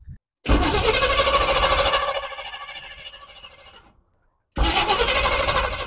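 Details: Squarebody utility truck; the accelerator pump squirts fuel, and it was hand-primed. It catches and revs roughly about three seconds, then fades and dies before a restart. Suspected fuel delivery fault, not drawing fuel from the tank; cause unconfirmed.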